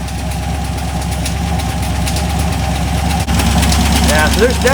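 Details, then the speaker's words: Cheap LS 4.8 LR4 V8 idling on a run stand, vibration loosening exhaust: quick steady internal knocking about four a second; owner suspects a lifter coming apart or a piston letting go; worsens with revving. "something moving around in there probably a lifter coming apart it sounds pretty fast to be lifter it could be the uh a piston letting go"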